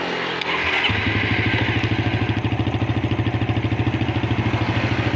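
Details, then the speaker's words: Suzuki Satria FU motorcycle with dead electric starter, solenoid jumped directly to bypass wiring: starter engages cleanly and spins the engine in an even, steady chug of about three compression pulses a second; fault traced to starter switch circuit. "Sepeda itu mengeluarkan suara. Oke, masalahnya sudah teridentifikasi sekarang."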